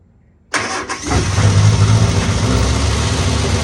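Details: 1970 MG Midget run for the first time in many years: cranks briefly, catches at once and settles into a steady, even idle with no knocks or misses; smoking from leftover oil; healthy start.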